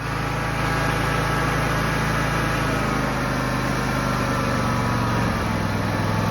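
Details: John Deere X304 lawn tractor, sat about two years on old gas, carb never cleaned: after getting it running, the warm engine holds a steady, even, smooth idle with no misses or surging. Normal warm idle.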